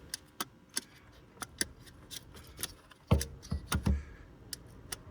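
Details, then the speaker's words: LG washing machine showing the AE flood error, flood sensor removed from the base tray: crisp, uneven clicks as the float is worked by hand; the micro switch snaps over cleanly and works properly. Water traces point to a leak higher up. "Let me just remove that for you, just unscrews like so. And I've just got a micro switch, you can hear it clicking there."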